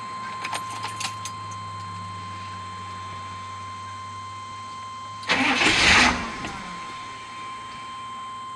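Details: After waiting for the security light: about a second of starter cranking, the engine never catches and goes quiet. No-start cause suspected, not confirmed.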